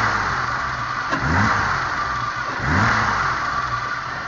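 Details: BMW E30 with an M30B35 engine: a thin, steady whine sits above the engine as it revs up and settles. It is an engine-driven whine whose source is not pinned down.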